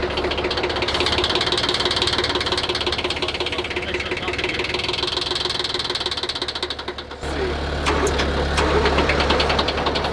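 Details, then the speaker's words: Old smoky diesel steamroller started with starting fluid: clatters unevenly at a loping idle, note changes and keeps shaking roughly; rough running, owners suspect it needs a fuel line fixed. "Well, that's a good sign. Sounds like it will run. Just probably got to fix a fuel line."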